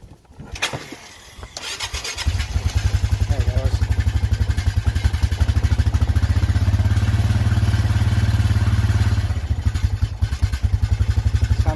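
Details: Honda Foreman four-wheeler that wouldn't stay running, after carb cleaning and rebuild, battery possibly weak: starter cranks, then the single settles into a steady, even idle putt with no misses; normal running.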